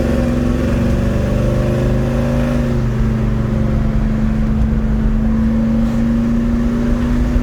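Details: 1972 Chevelle Malibu 383 V8 after fitting Doug's 1 5/8 x 3" headers and Flowmaster 2.5" H-pipe exhaust, pulling away: deep steady drone with choppy low beat, pitch climbing smoothly; louder inside and out, deeper tone, more chop; normal exhaust note.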